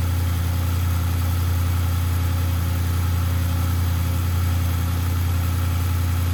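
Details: Audi RS6 C7 twin-turbo V8, first start at idle after engine removal, teardown and repair for misfire and rattle (fault found behind timing cover): deep, steady, even idle with no stumbles or skips; runs cleanly, normal idle, misfire gone.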